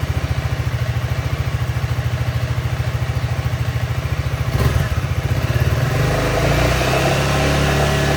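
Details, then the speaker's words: Honda Forza 350 scooter, about 2,526 km, after replacing rear wheel bushings to prevent rear wheel wobble: steady even idle putter then clean smooth rev, no knocks, scraping or rubbing, rear wheel spins freely; normal idle and rev. "เดี๋ยวผมจะลองสตาร์ทแล้วก็ลองเบิ้ลเครื่องให้ทุกคนได้ดูนะลองเบิ้ลเครื่องแล้วก็ดูการหมุนของล้อว่ามันจะมีอะไรฝืดๆติดๆขัดๆ"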